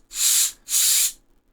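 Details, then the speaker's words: Cheap Chinese small blower fan for a 10Gb Intel X520-T2 network card cooling mod spins with soft airy whooshes. No bearing grinding or ticking is heard, and none can be felt while holding it, unlike the original fan. "hear the bearings I'm even holding this and I can't even feel the bearings so and this is just a cheap fan from China"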